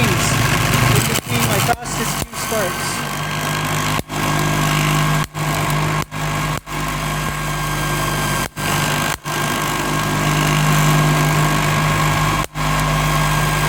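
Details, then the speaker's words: MiniSpark 18 electrostatic machine (1.233 nF capacitor bank, 1 cm spark gap) running: continuous rough scraping hum with brief dropouts, because the setup isn't rigid, so it shakes and the internals rub. "that uh that noise there is because this setup here isn't very rigid so it shakes and then internals rub"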